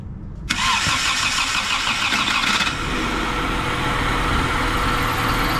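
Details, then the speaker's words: Bone-stock Honda Civic CX hatchback (EG), started from engine bay as cabin ignition won't crank: quick catch after brief crank, smooth steady idle, no knocks or misses, no check engine light; normal start and idle. "So you guys heard the car turn on, and now I got to figure out why it's not cranking from the inside of the car. Sounds good. Sounds freaking awesome."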